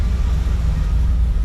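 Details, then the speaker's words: 1955 Chevy with a new engine, timing set the day before, idling with the choke disabled. A deep, steady, even idle with no stumble or tapping; it runs smoother than before. "Oh man, this sounds like a normal car. Very cool. Listen to that idle. Oh, that's nice."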